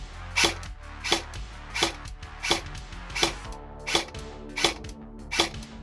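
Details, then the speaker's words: Specna Arms X Series Flex airsoft gun with changed spring (7.4V battery suggested): crisp, even cycles with no grinding, like average gears shimmed averagely; slight turn-back from the anti-reversal latch on the bevel gear, not a fault; normal gearbox cycling. "It doesn't sound grindy. It doesn't sound noisy. It sounds like an average set of gears in an average gun shimmed averagely."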